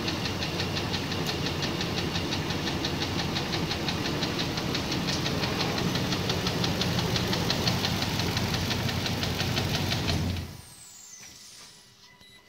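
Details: Nissan VK56DE engine; a sharp, steady knock about three times a second rides over the idle until the engine shuts off; a clear internal engine knock.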